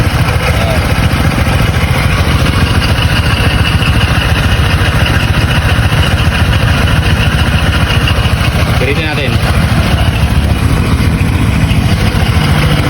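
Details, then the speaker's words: Honda Click 125 V3 scooter about a week old, heard at idle near the CVT side: rough, loud low rumble with rattle; not heard when riding. The owner suspects the CVT/belt drive; it will be checked under warranty. "so lapitan natin ito yung tunog niya Pung gilid medo may dumaran Dito po tayo eh dito tumutunog"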